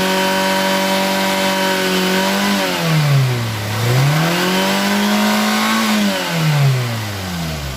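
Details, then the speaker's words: 2012 Toyota Avanza Veloz after repair of rough internal engine noise traced to worn connecting rod bearings, blamed on poor-quality oil; oil changed and flushed. Steady, clean idle and smooth revs, no knock or rattle; engine back to normal. "Oke, Lur, suaranya sudah kembali normal, halus, layaknya mobil yang masih muda, dan biayanya cukup lumayan menghemat."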